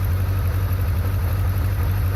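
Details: 1994 Yamaha 600 Diversion four-cylinder, fairly warm, idle raised to nearly 1500 rpm to avoid stumbling and engine clatter: smooth even low hum with no stumbles or clatter, healthy idle.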